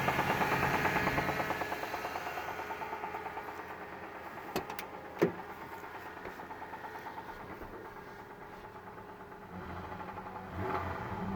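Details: Idling engine with a steady rhythmic knock about three beats a second under the running noise; owner suspects rod knock, oil pressure sometimes good, sometimes none. Cause suspected, not confirmed.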